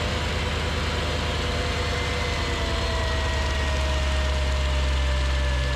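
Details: Mercedes CLS55 AMG M113K supercharged V8, first start after replacing worn idler pulleys with billet UPD ones (was squealing): loud constant high-pitched whine over idle, persisting after warm-up; owner suspects supercharger, not pulleys; cause unclear.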